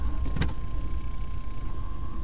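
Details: 1993 Chevy Blazer after fuel pump replacement, key on: a steady, thin mid-pitched hum holds evenly under faint background rumble; the new fuel pump primes normally, though pressure later bled down quickly from 62.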